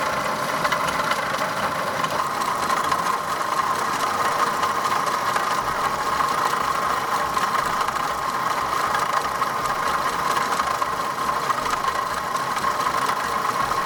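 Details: Opel Omega B petrol engine idling: loud steady whirring whine over rough grind from water pump bearing damage; pump removed and housing cleaned.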